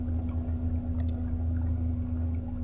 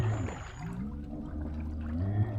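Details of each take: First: EDGE K4 Smart Drive eFin on a kayak/SUP on cruise control at 1600 RPM, 2.9 mph, battery about 60%: smooth constant low hum with steady higher tone over water noise, no knocks or rattles; running healthily. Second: EDGE K4 Smart Drive eFin electric fin on a kayak/SUP, underwater motor at 66% battery: low hum wavers and lurches with churning gurgle and rough tone as debris catches in the prop; owner stops, then reverses to blow it out.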